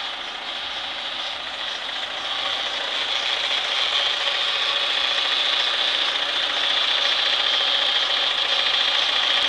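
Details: Renault Clio: dry, raspy metallic rattle over idle in neutral and while driving, rising with road speed, gone when stopped with clutch pressed but persists if moving with clutch in; neutral gear rattle, gearbox or clutch suspected, cause unconfirmed.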